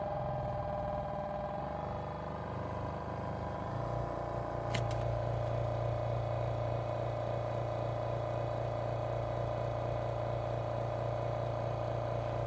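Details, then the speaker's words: Portable airbrush compressor (rated up to 40 PSI) under sound-meter check: steady even hum with low drone and mid tone, no knocks or rattles, as loud as others tested, runs normally but never stops. "it's as loud as the other ones I've tested like it's not too bad but the fact that it's always running is going to drive me nuts"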